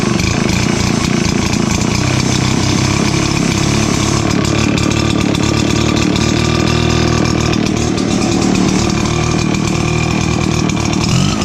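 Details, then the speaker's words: RedMax EBZ7500/8500 backpack blower after a new throttle cable, choke lever, air tube section and spark plugs. The two-stroke holds a strong, steady buzz and picks up cleanly with much better throttle response, no bogging or surging: normal running. "a lot better throttle response for sure"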